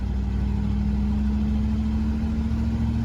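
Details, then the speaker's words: 1984 Chevrolet K10 Silverado Stepside diesel, four-wheel drive, supposedly original clutch, driving: steady low drone with road rumble, no knocks or odd noises; engine sounds good. "It sounds good, though."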